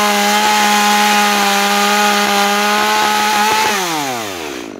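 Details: New Makita EA3200S chainsaw during break-in, under load: steady high note held evenly, then smooth wind-down as throttle drops; running cleanly.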